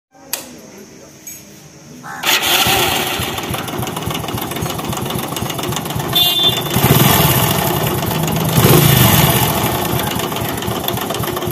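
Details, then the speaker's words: Hero HF Deluxe/Passion Pro bike: engine catches after two seconds, busy idle with light rapid clatter; timing chain found tight yet engine still noisy, so pump support underneath to be opened; chain replacement planned. "इसका time ही tight है लेकिन फिर भी आवाज आ रही है जैसे कि आपने पहले शुरू में देखा था इंडियन से बहुत ज्यादा आवाज आ रही थी"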